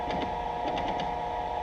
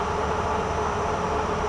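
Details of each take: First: Cincinnati 205 milling machine, table X-axis power feed: steady motor whine with quick clicking catches; feed runs smoothly then stutters and stops, as if a gear is slipping; cause unclear. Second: Cincinnati 205 milling machine with a 40 rpm spindle speed displayed, power feed on a light first cut: a steady, even mechanical hum with no knocks or hesitation, after feeds that had earlier been hesitating were fixed. Normal power feed.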